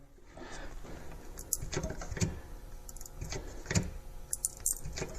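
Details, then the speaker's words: 3D-printed brake-press mold being squeezed in a vise to bend a pinball wireform: sharp, irregular snaps and crackles come in bursts as the mold splits along its print layers under load. "Whoa, something sounds like it's about to bust apart. We were getting there. we were getting there. And then this, it just snapped apart on a layer."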